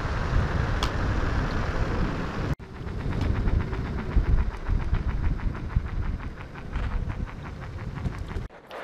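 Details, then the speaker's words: Backfire Ranger X1 electric all-terrain board on first ride, slower mode: even ticking about five per second over a low rolling rumble, keeping pace with wheel speed; tire noise, unclear whether normal. "can you hear that tire noise I was talking about so hopefully someone that's a novel about the x1 could chime in and say oh yeah that's normal just make me feel a little bit better I mean it rides fine that sound is definitely there"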